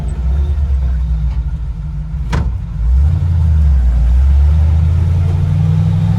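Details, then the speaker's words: Truck on its first drive after swapping the Eaton 4.56 rear axle for a 14-bolt with 3.73 gears: steady low drone under light load, smooth with no clunks, rattles or whine; driveline healthy. "so far so good here no weird rattles or clicks or clunks or anything"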